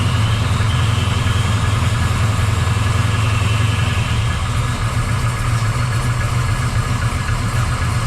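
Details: 1979 Camaro Z28 V8 on first fire after replacing the noisy Pete Jackson gear drive with an Edelbrock double-roller timing chain, new balancer and water pump: deep steady idle, even exhaust beat, no front gear whine; normal idle.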